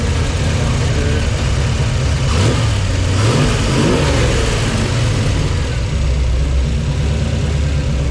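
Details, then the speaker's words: 1962 Ford Falcon with 306 (302 overbored) V8 on Holley Sniper EFI, custom long-tube headers, Flowmaster exhaust; deep even burble, short rev and smooth return to steady idle — starts easily, runs clean. "Alright, so now I'm going to start it up for you so you can hear it run. Starts great. Fuel injection is pretty sweet."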